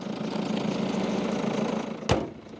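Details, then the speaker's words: Diesel manual Peugeot 207CC at idle: a faint rhythmic puffing tick in time with the engine, with a diesel smell through the heater; suspected chuffing injector seal, unconfirmed. "my heater works it stinks of diesel so that is a a chuffing injector I can hear it I can smell it I can feel it"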